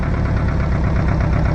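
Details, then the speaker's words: 1985 Toyota MR2 with a suspected cylinder misfire, number one spark plug wire unplugged at idle: a low, heavy, uneven, lumpy idle that labours and bogs, recovering when plugged back in, so that cylinder was firing. "yeah struggles running plug it back in and it goes back up"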